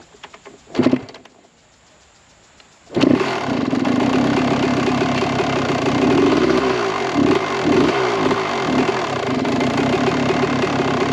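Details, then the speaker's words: 1998 Kawasaki KX125 two-stroke, carb floats sticking open and leaking from the overflow: catches after a brief crank and revs raggedly with a tinny ping and rattle on held throttle, barely smoking; the service manual calls that a lean condition. "So, and it also was running pretty lean. We'd give it hold the gas a little bit and it would go and it would start to like ping and rattle a little bit, which in the owners and service manual it says that that's a little bit of a lean condition."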